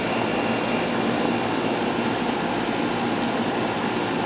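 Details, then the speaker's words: Older outdoor AC condenser after replacing a bad capacitor, running to factory specs though possibly undersized: steady even whoosh of fan air over a constant hum, no rattles, squeals or surging; condenser running normally. "but this is working this is working properly okay for a factory recommendations for factory specs so that don't mean the system's not installed incorrectly but this is working right the best it's going to work"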